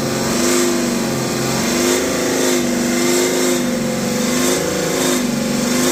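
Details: BMW X5 40d N57 diesel: loud droning, humming resonance around 3000 RPM, wavering as revs change; no loose heat shields found, no fault codes, runs perfectly, present since previous owner.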